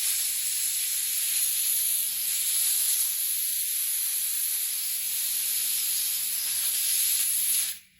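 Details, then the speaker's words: Hatsan Blitz air rifle just filled to 3000 PSI from scuba tank, bleeding fill line: continuous high-pitched hiss that never lets up; gun's fill valve not seating and keeps leaking air, later cured by cycling/rapping the valve. "The valve is not holding the air inside of it. I mean, it's not holding the air back from this valve."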